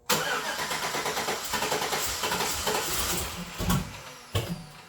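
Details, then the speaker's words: 2008 Chevrolet Suburban, new engine, early start attempts: ragged cranking with uneven firing and sharp pops as it backfires through the stock throttle body; plug wire order and ignition system suspected. "I mean, I hear it kind of backfiring through the throttle body a little bit."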